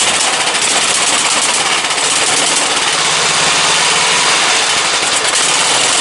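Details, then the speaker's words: Briggs & Stratton 17.5 OHV single-cylinder lawnmower engine, muffler fitted, bottle-fed fuel; ragged, uneven running with thin hissy tone and unsteady beat; runs poorly, carburetor judged junk. "Don't run very good with that carburetor on it."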